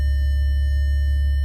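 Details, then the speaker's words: Maserati Ghibli S park assist, closest-obstacle warning while parking; a steady, unbroken high tone from the speaker nearest the obstacle, working as intended. "see now you hear that speaker going the most and then you see right"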